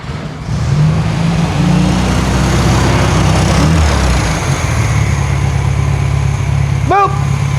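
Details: 1968 VW Karmann Ghia with new 1600cc air-cooled flat-four, hot start after second break-in period: fires right up and settles into a steady, even idle with a quick blip; normal hot start.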